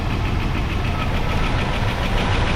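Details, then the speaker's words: 1988 Dodge Power Ram sat 23 years, revived with oil change, new hoses, belts, thermostat housing and coil wiring fix, stock exhaust with catalytic converter removed: fast, light lifter ticking over a steady idle, no smoke; owner expects it to come back around. "lifter is still a little noisy but I mean it'll probably come back around"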